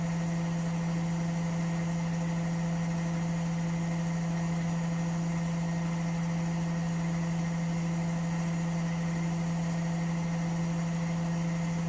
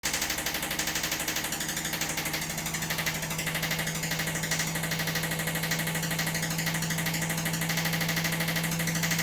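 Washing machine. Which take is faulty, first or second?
second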